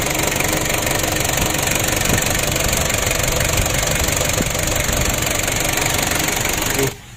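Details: Ford Ranger diesel losing engine oil with no leaks and revs limited at high throttle, running with intake air hose removed: loud steady run with uneven puffing tick; compression leak from incorrect valve clearance.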